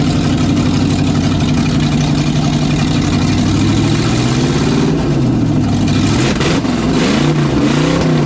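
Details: '67 GMC C10 with newly swapped 400HP small-block Chevy 350 with a little cam, first test run: deep even V8 burble with clean throttle blips rising and falling, no misses or knocks; healthy.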